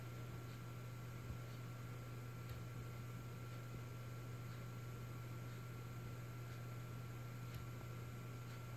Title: Western Digital Black 4TB - Periodic clicking sound